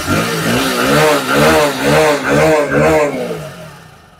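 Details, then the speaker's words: Hero HF Deluxe BS6 motorcycle after the oxygen sensor was cleaned and refitted; the engine surges in uneven blips, won't take revs, then dies, so it still misfires and stalls; the mechanic concludes the oxygen sensor must be replaced. "मैंने oxygen sensor को साफ करके लगा दिया है। फिर भी, bike में खराबी आ रही है। यह रेव्स नहीं ले रहा है। यह बंद हो रहा है।"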